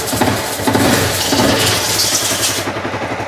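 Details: Honda CBR 250 brought in as a non-starter, after a compression check: engine fires and runs with a fast, even beat and crisp exhaust, no misses or mechanical clatter; normal running.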